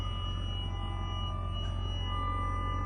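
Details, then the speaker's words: 2003 Mercedes SL55 AMG (R230), 78k miles at purchase: thin steady high-pitched whine over low hum from all speakers, reacting to accelerator input, like a transformer; radio cutting out with loud pops, owner suspects faulty amplifier. "Oh, God, sound like a transformer. Oh my gosh. Y'all hear this?"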